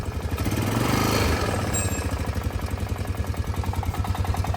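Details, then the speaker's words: Honda Foreman 500 single-cylinder ATV idling on a 20°F day, after valve adjustment and cover replacement: steady idle with a light, quick tick each firing stroke, milder than before; owner thinks it's normal for these, also suspects some piston slap. "It does have a little tick, but I think that's normal because every video I found of these had that tick. But it's not terrible, it's just a little tick, tick, tick."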